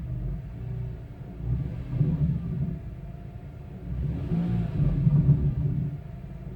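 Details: 2002 BMW E46 M3: grinding, rattling buzz under the low rumbling engine, worst on cold start and after releasing the accelerator; the cat element broke free in an original header and vibrates as exhaust passes at low velocity.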